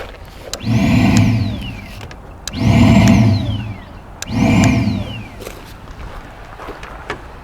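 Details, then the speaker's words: 2009 Ford Fusion with P0410/P0491, electric secondary air pump under intake manifold commanded on: three whirring runs climbing in pitch then winding down; pump works, air loudly heard at its loose inlet tube near air filter housing. "pump runs I need to follow my plumbing here because I'm hearing air in a location I did not expect"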